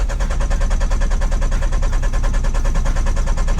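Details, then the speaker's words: Mk2 Toyota MR2 sat 14 years, being recommissioned; found with no oil on the dipstick and refilled: steady starter cranking at about three turns a second, never fires, oil pressure still not showing, battery good; cause unconfirmed. "all right let's try all pressure again come on baby give me some oil pressure yeah that's still a concern battery's good though"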